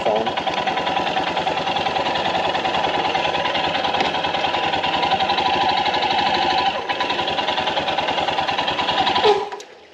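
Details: Royal Enfield Himalayan BS-VI right after a cold morning start: fast steady metallic ticking clatter over the idle, stopping at shutdown; occurs only in the mornings, dealer service found no resolution, source unclear.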